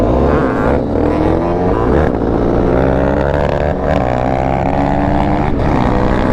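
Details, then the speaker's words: YCF 190 pit bike, single cylinder, revs climb unevenly and stumble as throttle opens, rough bog; owner says the 120 main jet is too big and needs a 115. "Oh, that pit bike sounds a little rough right there. Shifting in a second. Yeah, it sounds like the carb is like a it bogs a little, right? Yeah, it's the jet."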